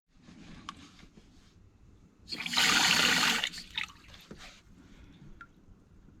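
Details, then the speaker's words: Heating feed and expansion header tank refilling after repair of overflow (new fibre washer): short rush of water then quiet, no trickle; valve fills and shuts off cleanly, no pumping over with heating running ~15 minutes. "Um, it's only a feeding expansion tank. You don't need it all the way up. So, yeah, we'll get the water back on."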